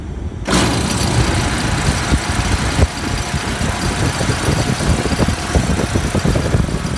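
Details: Refrigeration compressor after condenser coil leak repair, running with heavy low rumble and irregular rapid knocking; rough vibration, net oil pressure about 20 psi versus usual 30–40, headmaster not bypassing condenser suspected, cause not confirmed.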